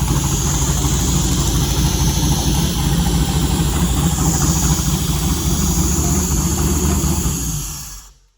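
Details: Holley Terminator X 550-917 on an LS 5.3L V8 with 4L60E, first fire-up out of the car, oil pre-primed, alternator not connected, coolant sensor 74. Starts straight up into a steady, even burble, no knocks or ticks, then shuts off cleanly.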